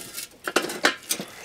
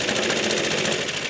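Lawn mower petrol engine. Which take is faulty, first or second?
first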